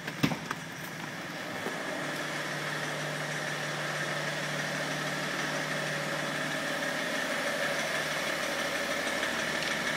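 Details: BMW 330cd E46 diesel at idle: steady idle with irregular light clacking about three to four a second; abnormal engine knock, cause unclear.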